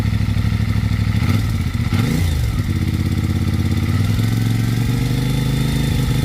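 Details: CFMoto 450MT at about 7500 km: light metallic tick at idle and through revs from the cylinder head top end; suspected valve guide problem.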